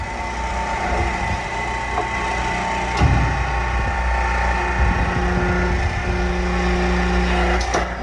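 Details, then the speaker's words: Pressing a tapered roller bearing onto a 3000GT VR4 / Dodge Stealth AWD front differential, pressing only on the inner core: steady press drone whose note changes and stops as the bearing bottoms out and seats fully. "hear that noise change now it's done you'll see this is actually below this piece"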